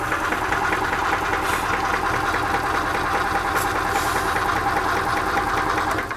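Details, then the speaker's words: 2005 EZ-GO TXT gas golf cart in neutral that won't stay running, cranked at full throttle, smoke coming out. Small engine buzzes unevenly with a loose, irregular beat, then sags and dies. Engine stalling, cause unclear. "okay that job's done now let's get under the seat and see if we can figure out why this thing won't stay running"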